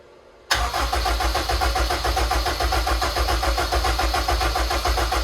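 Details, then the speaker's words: Dry cranking of a Project RED S2000-based engine with the ECU off and the starter hot-wired, with an oil cooler and relocated filters fitted: strong, steady cranking at about 3.5 pulses per second with no drag or grinding. Normal cranking. "starter run strong everything runs good so far"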